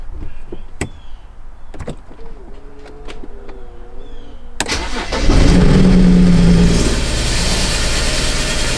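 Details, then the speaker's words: 2007 BMW 335i N54 twin-turbo that rattled like wastegate rattle, then lost all boost and now smokes: engine cranks, catches and runs rough and uneven; engine misfire, failing turbochargers suspected, before turbo replacement. "car started to lose boost and now no boost at all it's misfiring"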